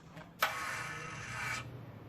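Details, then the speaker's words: Voltage stabilizer (AVR), neglected for a long time, powered on with its voltage needle not moving: a rough scratchy rasp over the transformer hum as the servo motor carbon brush drags on the transformer coil, likely dirty. "Oke, ini adalah suara gesekan arang motor servo dengan kumparan kabel transformator. Jadi, kemungkinan besar kotor."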